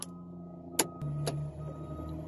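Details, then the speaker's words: Volvo wheel loader key start switch being diagnosed for a starting problem: a couple of sharp clicks as the key seats, then a steady low electrical hum comes on; switch engages properly in this position. "Here is okay, it's become on. You can also hear the sound, also you can see it's on."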